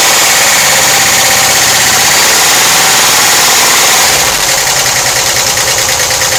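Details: 1991 VW Vanagon with 2.1L Wasserboxer idles with a loud, fast, even ticking of about three per second from the left side of the engine compartment; hydraulic lifters are suspected but unconfirmed.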